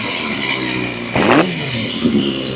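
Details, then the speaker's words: Honda CBR250RR MC22 under restoration, carbs just refitted, started after sitting; uneven, lumpy revving with a sharp blip and some clatter, stumbling rather than pulling clean. Owner suspects old fuel and a slightly stuck ring. "Go start really good. Could have been sitting around for a little bit."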